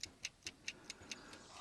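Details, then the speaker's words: Old-style mechanical spring timer switch (rated 110 V AC, used on a 12 V DC bathroom exhaust fan circuit): crisp even ticks at about 4.5 per second, like an egg timer winding down; normal operation. "It it is just like an old egg timer basically. So you hear it ticking there."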